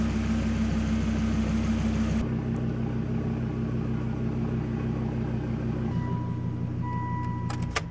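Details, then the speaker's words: Volvo V70R first start after engine reinstall and manual swap with single-mass flywheel: catches and settles into a steady, even cold idle around 1000 rpm, no ticking, knocking or flywheel chatter; sounds healthy. "the single Mass flywheel did not chatter at all which is something that I thought was kind of a big deal I don't hear any noise from it it's perfectly silent the car sounds incredibly healthy"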